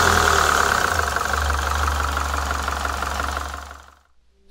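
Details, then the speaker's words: PT Cruiser GT 2.4 L turbo: rapid harsh diesel-like clacking about four per second over an uneven idle. It began after a two-hour drive. The owner thought it was lifter tick, not rod knock. Lifters, bearings, rockers and cam caps looked fine, yet it sounded worse after cleaning and reinstalling them; cause unknown. "sounded much worse at this point i decided i should leave the car alone for a while since i was busy moving and didn't have much time to figure out the real issue"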